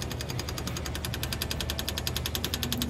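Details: Kazuma Mammoth 800 side-by-side, bypass electric fuel pump run from the key feeding the carburetor via 1/4-inch line, with fuel returning to tank: quick, even ticking at about three to four clicks a second, steady throughout; pump working normally.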